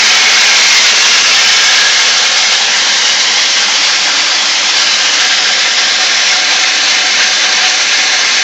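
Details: BMW M52 engine running with a harsh, steady raspy grinding noise and almost no deep engine rumble coming through.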